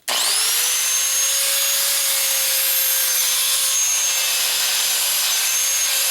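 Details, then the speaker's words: Porter Cable PC60TPAG 6-amp angle grinder, about 7 years old, before brush replacement: thin high motor whine, not up to speed, speed changes when turned and worsens under grinding load; worn carbon brushes. "speed you can tell a che speed changes when you turn it and whatnot and when you go on an to grind things it it gets worse"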